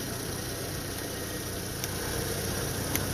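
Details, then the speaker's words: 2012 Toyota RAV4 2.5L engine idling after belt tensioner replacement: smooth, steady idle with even hum, tensioner not moving or shaking, good spring tension, no belt slap, chirp or rattle; normal idle. "Start it up. You notice that it's not moving, it's not shaking. Got a nice spring tension to it."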